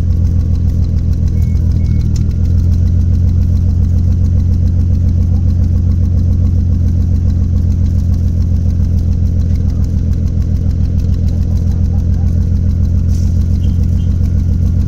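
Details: Toyota 1JZ petrol straight-six at idle: deep, lumpy, uneven pulsing beat, described as almost Subaru-like; engine misfire of unconfirmed cause.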